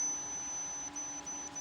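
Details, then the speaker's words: Photocopier hopper sensor on a digital sensor tester: steady high-pitched tone breaking into short even beeps about every third of a second; sensor working normally. "Nah. Oke. Ini indikasinya sensor hopernya bekerja atau normal."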